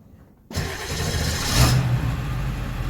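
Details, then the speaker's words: 2002 Ford E350 van, 7.3 Powerstroke diesel, after replacing the transmission range sensor that caused a no-crank unless the shifter was lifted: silence, then it catches straight away into a steady, deep idle; starts right up. "starts right up"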